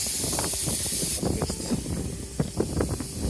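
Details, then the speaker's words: Car tire punctured by a nail, noticed after driving about 2 miles, during plug repair: sharp, steady high hiss of escaping air for about a second, cut by knocks of the repair tool pushed in. "I already moved like 2 miles, then I heard this sound and I came out and I saw that this tire was punctured."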